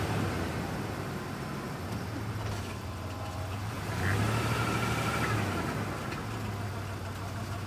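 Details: 1994 Ford Ranger 3.0 automatic, noise began this week, only in gear; fluid was low, topped off with Dex/Merc, dipstick rag metallic: idling rumble with a faint steady whine rising when shifted from neutral into gear; transmission noise, cause unknown.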